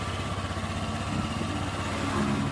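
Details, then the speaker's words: Honda Vario 125 scooter engine test-run after full rebuild: fast, even putter with steady beat, no knocks or misses; sounds smooth again versus before, radiator watched for spurting, normal idle. "Nah tinggal dicek aja suaranya sudah halus kembali beda dengan yang pertama kalinya teman-teman"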